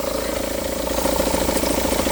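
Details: 2009 SEAT Leon at idle, noise from the pulley area with oil leakage and a suspect crank pulley damper: steady, fast pulsing hum riding over the engine, from a wobbling AC compressor pulley.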